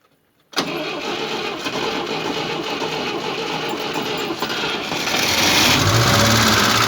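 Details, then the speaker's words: Moskvich 2140 engine, cold, cranks and catches into an uneven idle with a steady ringing knock of three or four beats a second; was misfiring, water in cylinder two, oil in three, oil pressure light when warm; cause unconfirmed. "Значить, стук, якщо чуть, отак він стучить, трошки ковбаси сам двигатель."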